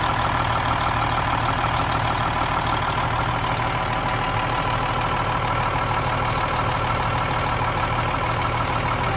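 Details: Cummins M11 diesel semi truck after fuel system priming and bleeding: deep even idle with steady low throb, no misses; runs clean, no more air bubbles.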